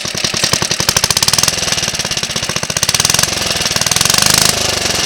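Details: Suffolk Colt 12-inch lawnmower single, first start in about 20 years after full strip-down rebuild with new valve and ignition coil gaps set: crisp, fast, even firing with no misses or knocks; healthy running.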